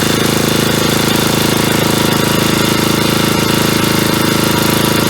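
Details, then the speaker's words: 1977 Agway 1500 W permanent-magnet generator running on tank fuel, carburetor diaphragm drawing fuel though hardening was suspected: steady, even chug at constant speed with no hunting or stumbling; runs well. "spe yeah so it sounds like it runs pretty good there I just put gas in it there and that diaphragm seemed to pull it out of that tank"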